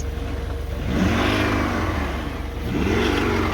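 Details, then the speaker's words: Old scrap Volvo engine deliberately run with oil and coolant drained (air-cooled, air-lubricated): two strained rev swells rising and falling with a harsh rattly edge. Unhealthy revving with no oil or coolant. "That doesn't sound healthy."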